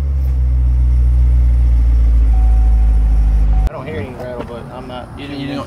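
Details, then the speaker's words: 2015 C7 Corvette Stingray V8 inspected at purchase, revved: deep steady rumble with a faint thin whistle on top and a definite rattle, cause not found; a broken clip was also noted. "don't hear that when I rev it? You don't hear the little whistling type thing? I mean, it's definitely rattling."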